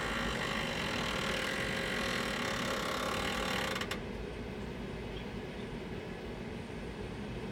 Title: GMG making loud noise